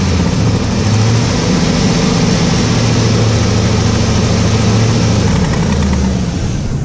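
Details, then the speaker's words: V8 truck started after sitting about three months, good oil pressure, no smoke: deep V8 idle with quick slightly uneven ticking puff; exhaust manifold leak, otherwise sounds good. "actually does sound really good except for the manifold leak but the only thing that sounds bad on it"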